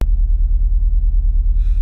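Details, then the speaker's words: Renault Clio 182 RS idling with flashing engine management light; deep, uneven lumpy idle stumbling on one beat, rough and coarse when the accelerator is flicked; misfire traced via OBDII to faulty fuel injectors, replaced. "the car just sounds like can you see it's just like missing that when i fluff flick the accelerator it really sounds quite rough and quite coarse"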